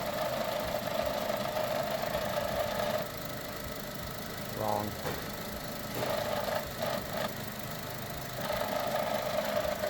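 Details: Heavy, steady knocking in time with idle, roughly three a second, deep inside the running engine; another shop told the owner it has valve train damage. Cause suspected, not confirmed.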